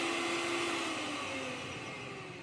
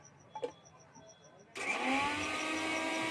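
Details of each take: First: Mixer grinder motor with a high, steady whine winding smoothly down as it coasts to a stop. The motor is healthy; the noise and leak came from the jar, whose bush is worn and leaking. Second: Mixer grinder making a khir-khir noise and leaking from the jar: quiet beeping then rough rasping whir wavering in pitch; fault in the jar not the motor, its bush worn through, causing leakage and water entering the machine.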